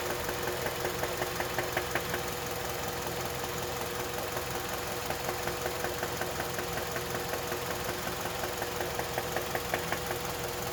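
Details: KIA Magentis 2.0 with G4KA engine at idle: sharp, regular knock about 160 a minute clearly above the engine hum; serious internal engine knock, car should not be driven and needs immediate repair.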